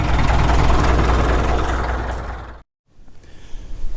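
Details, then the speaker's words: Caterpillar D2 diesel during break-in, radiator blocked off, coolant around 200–205°F: even low clatter at about four pulses a second, then a brief cut; engine sound and exhaust cleaned up once at temperature. "but once we hit 200 and just above it it's amazing the difference in the sound that the engine made and the exhaust completely cleaned up"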